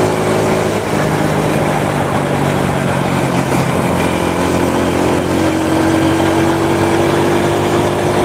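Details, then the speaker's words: Honda Supra motorcycle shipped in by cargo in a box, after workshop overhaul of a badly damaged engine; even steady note climbing cleanly when revved, no knocks or rattles, smooth: normal running. "kalau masih ingat sekarang dengar suaranya ah halus kenyes-kenyes larinya juga udah enak"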